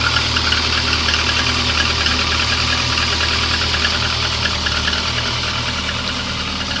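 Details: Lada 2115 engine at cold idle with a light, fairly quick tapping of about three knocks a second over the engine hum; engine knock of unknown origin.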